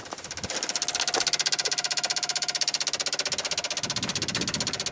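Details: 1995 Dodge Ram V10 cold no-start, key on: sharp even clicking about three a second, ASD and fuel pump relays chattering as PCM 8-volt reference sags; bad PCM suspected.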